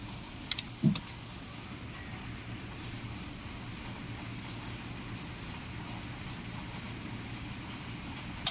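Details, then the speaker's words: Denon amplifier after repair of a no-power fault, a relay that had lost its solder contact and was resoldered; faint hum, then sharp clicks as the speaker relays engage normally on power-up. "So nagki-click naman yung mga relay niya sa speaker. Ayan oh, pakinggan niyo. Ayun, nagki-click naman yung mga relay."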